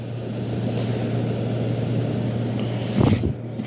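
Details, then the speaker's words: 1973 GM Frigidaire 11,600 BTU window air conditioner, rusted pan, blowing ice cold: even low hum near 110 Hz with airy fan rush, no rattles or squeals; compressor sounds happy, normal running. "but yeah everything sounds good the compressor sounds happy"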